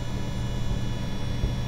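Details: EVGA RTX 2080 Ti XC Hybrid graphics card with integrated water cooling, idling in an i9-9900K PC on a quiet night: constant low hum with a steady, unchanging buzz, an audible AIO pump drone.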